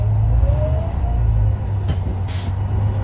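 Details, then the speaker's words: Setra S 315 diesel coach idling: deep steady rumble, then a short sharp hiss of air when the handbrake is set, a possible air leak at the parking brake. "Handbremse hier, der. Hört ihr das? Der zischt hier, aber okay."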